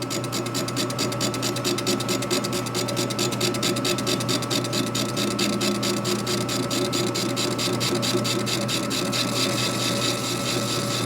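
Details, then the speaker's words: 1942 Harley WLC 45ci Linkert M-88 carburetor body, apparently not true from the factory, being faced flat on a machine; an even cutting hiss with light ticks about twice a second over a steady whine. A clean full-surface cut. "hear how it's cut now? That's good. Right there is it."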